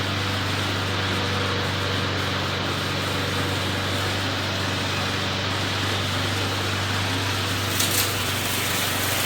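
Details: McLane mower, rear lifted so the freshly lubed drive chains freewheel without driving forward: steady low engine drone at constant speed, smooth apart from one brief bump near the end; healthy, even running, readied for sale.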